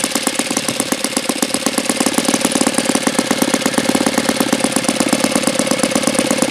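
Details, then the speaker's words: Saito FA-82a four-stroke model engine, very low time, likely not broken in, OS F plug, Master Airscrew 14x6 prop: crisp, even popping at steady fast idle with no misses or stumbles; runs phenomenally, normal. "Well, this is a phenomenal running Saito engine. I almost think that's contradictory or complimentary. Phenomenal running Saito engine."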